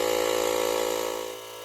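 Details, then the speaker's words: Profiline booster/jump starter's built-in compressor inflating a tyre from zero to a set 2.2 bar, using two battery divisions; steady, fast electric buzz from a small piston pump fading slightly toward the end; normal compressor running. "тут все готово натискаємо ось цю кнопку на он відповідно компресор починає качати"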